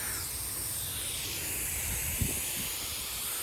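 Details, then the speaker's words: Sprinkler system zone 2 of nine running: steady, even hiss of water from spray heads with no sputter or surging; zone 2 working properly. "So zone 2 is working properly, so that's good."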